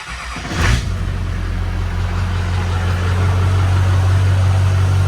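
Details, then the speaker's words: Duramax LB7 diesel frame-off build with S300 turbo, new tune, LBZ-based 10mm CP3 and 65-over injectors: short crank, catches at once and settles into a smooth steady diesel idle. Normal start and idle. "I'm going to go ahead and start the truck so you guys can hear it. Actually starts pretty good."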